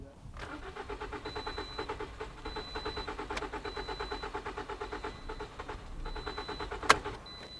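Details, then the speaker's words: 2011 Toyota Corolla 1.8L cranking with fuel gauge fitted: steady even starter cranking, never fires; fuel pressure only 30 psi against an expected well over 40, so low fuel pressure causes the crank no-start. "so 30 PSI is lower than normal okay yeah this should go well well over 30 PSI so we have a fuel pressure problem so we have lower than normal fuel pressure"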